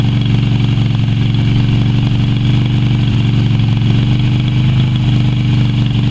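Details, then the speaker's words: Yamaha Virago XV250 V-twin after six years in storage, oil topped up but not changed: low idle with an uneven, lumpy beat around four pulses a second that never smooths out, running rough. "she's a bit rough runnin but she's been sitting for six years I've only worked on this so far two and a half days and it's already going surprise me"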